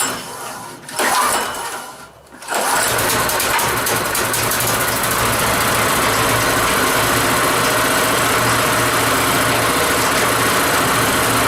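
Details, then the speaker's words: Revived rotary tiller engine first start after refitting hoses and throttle bracket: a couple of cranking attempts, then it catches and settles into a steady, even run with no misses, knocks or smoke; running normally. "That's running that good. It hasn't farted or complained or smoked nothing yet."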